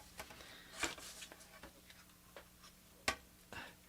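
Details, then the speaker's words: Sharp, light clicks every half second or so over a faint hum from the power supply fan of an IBM PC 5150 on the bench; fan sounds sad, cause of the clicking unknown. "Yes, there's a nice little click, click, click with the fan."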